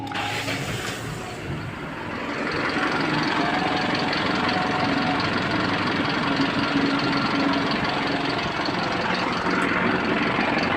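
Engine catches, revs briefly, then drops into a steady even idle with a mild tick; runs smoothly.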